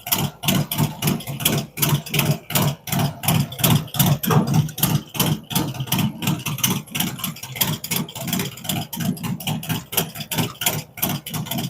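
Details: Freshly built V-twin with a 468 cam, adjustable pushrods, aluminum intake, 5.3 injectors and Thunderx headers: a loud, lumpy, loping idle with strong, slightly uneven pulses holding steady; healthy idle.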